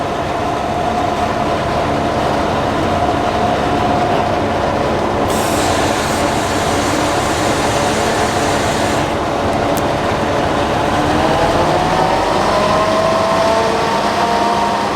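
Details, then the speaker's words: 2016 Pierce Velocity fire pumper in pump gear, lost prime with zero pressure; priming brings water back and pressure rises, later brief dip from an air bubble. Loud steady engine roar, whine climbing near end; loss of pump prime. "so what happened there is there was no crime in the pump so we brined it got water back into the trunk increase the pressure"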